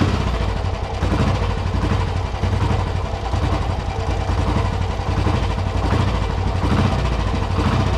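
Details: Royal Enfield 350 old-model cast-iron engine with points ignition, owned since 2009, after cleaning points; steady even single-cylinder thump at idle, firm low beat, no misses or knocks; running clean.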